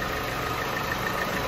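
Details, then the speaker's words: Opel Insignia 1.6 CDTI diesel, automatic, after engine bay cleaning during major service. Even, steady diesel clatter at idle with no misses or knocks; the engine runs well. "Aracımızın çalışması gayet güzel"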